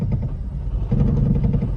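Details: Toyota Prius at low speed: deep, uneven, lumpy engine rumble from a misfire attributed to ignition coil/spark plug; noise disappears once the car smooths out and speed increases.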